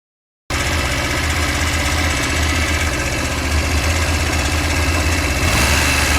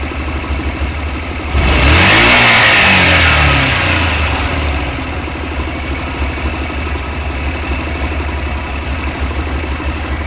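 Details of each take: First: Honda Varadero 125 motorcycle at idle: loud metallic knock about four raps a second over a low rumble; it comes and goes randomly at startup, while riding and after riding, only below 5000 rpm, quickening with revs; performance unaffected. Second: Honda Varadero 125 engine during a spell of normal running: even idle, one blip, smooth knock-free return; an intermittent random metallic knock below 5000 rpm is absent here.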